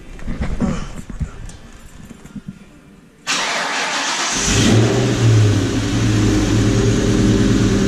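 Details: Car with a repeatedly leaking exhaust X-pipe, about 45 minutes after sealant was applied around it: cranks, fires and settles into a smooth, steady idle with no popping or puffing from the exhaust; the sealant repair appears to hold.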